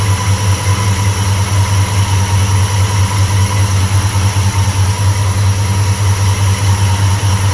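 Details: 1995 Chevrolet Impala SS V8 after TorqHead install with custom-length plug wires, first start: deep, steady burble at idle with slightly uneven lope; running very rich, tuning planned to fix.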